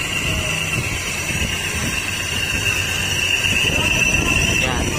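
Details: Honda Click 125 scooter: harsh metallic grinding with a steady high-pitched ring from the CVT belt drive, like crushed metal.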